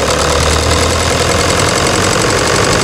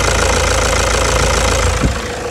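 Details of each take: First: 2009 Toyota Hilux diesel at idle, before repair, with a stuck injector nozzle: loud idle with a hard, uneven, very loud knocking clatter and shaky rhythm, engine vibrating from the faulty injector. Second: 2009 Toyota Hilux diesel after replacing a faulty, sticking injector that had caused knocking: even idle clatter at a steady pace with no harsh irregular knock standing out; idling properly.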